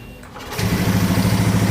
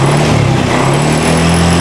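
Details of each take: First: Honda Scoopy FI scooter, no fault codes: cranks into a lumpy, pulsing idle and dies when throttle is opened. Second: Honda Scoopy/Beat FI scooter after fixing hesitation on initial throttle, traced to a faulty side stand switch cutting current. Engine rises and falls smoothly with each blip, no stumbling or cutting out; pulls clean and light. Normal revving.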